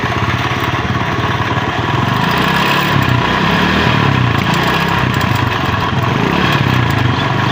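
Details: Chinese Honda CD70-type motorcycle idling, then revved: light, fast metallic rattle over the single-cylinder beat, louder on one side; slack timing chain from a worn tensioner rod.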